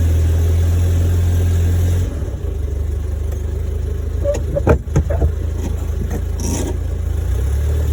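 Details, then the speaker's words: 1972 Fiat 850 Spider, cold and not yet warmed up: lumpy uneven beat with irregular stumbles, worse when given gas; owner suspects accelerator pump. Rough running. "Still sounds terrible. It. Well, we should take a picture of this before we go muck with it too much further. I took this out again because it's just not doing well. It, you know, especially when you give it gas."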